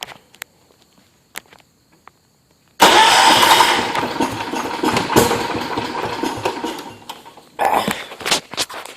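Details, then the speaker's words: John Deere 210 lawn tractor single cylinder: quiet clicks, then it catches and runs unevenly, sagging and surging; throttling up sometimes stalls it, mixture out of adjustment. "I'm having a little trouble with the mixture because if you throttle it up it sometimes it'll stall a motor out so let's try it it sounds like it's trying to go yeah it's tricky it needs a little bit of work"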